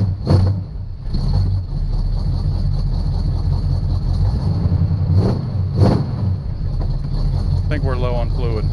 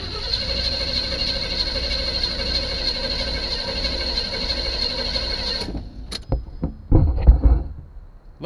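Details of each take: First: 1976 Chevrolet Chevelle V8 auction car being revived: steady, even low rumble with no top-end clatter, but no oil pressure; owner suspects something chewed the oil pressure line, as with the wiring. Normal running, no valvetrain noise. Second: 1976 Chevy Chevelle with Edelbrock carburetor primed with gas, dash unlit: several seconds of steady cranking that never catches or fires, then stops; engine turns over but doesn't fire.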